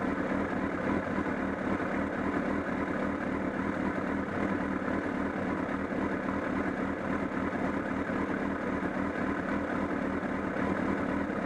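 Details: Honda CBR1000RR idling at Sportsland Yamanashi: an uneven, loose flapping patter from near the engine that grew stronger, along with a loss of torque. Cause not yet clear.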